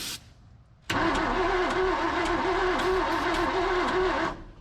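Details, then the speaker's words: Abandoned 1978 Ford F250 crew cab, formerly seized engine, with a new distributor: steady rhythmic cranking with a wavering starter note, no catch, after backfiring and intermittent spark loss; suspected distributor or spark problem. "We lose spark again. I heard it for a second. Go w like it was going to try."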